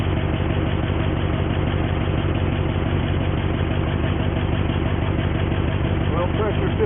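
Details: 1973 Jeep Wagoneer V8 just after starting, warming up with a retro choke, oil pressure reading 35–50. Steady, even low rumble with a smooth firing rhythm and no knocks or misses: a normal, healthy idle.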